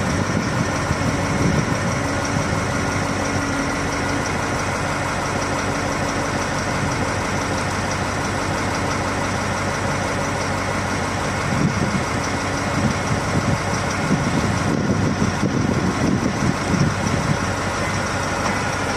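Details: 2022 KamAZ diesel crane truck idling: heavy, then rough with irregular knocks; injectors already swapped, no error codes at first; diagnostics point to a loose rail pressure sensor connector upsetting rail pressure control.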